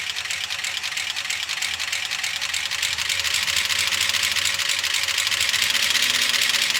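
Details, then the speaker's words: Gen 6 454 big block Chevy in a 1976 C30 dually, a minute or two after start, revved, over 60 psi oil pressure: dry, busy top-end clacking at low idle, sounding bad; lifter clatter as no oil reaches the top end. "Well, as you can hear, it's not sounding good. It's been a minute or two. I've tried revving up the engine."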